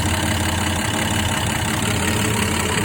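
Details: 1966 Dodge Dart GT with 225 Slant Six after fixing the exhaust leak and spark plug tube gaskets: even, steady idle with a smooth low drone, no ticking or puffing, no blowby felt; exhaust leak apparently fixed.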